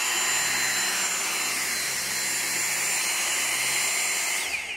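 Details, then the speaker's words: Dyson V6 cordless vacuum after full disassembly and cleaning (had lost power and smelled): high, steady motor whine with even airflow hiss, then winds down; strong, restored, normal running. "so here we have it Dyson V6 completely restored cleaned out and it's strong"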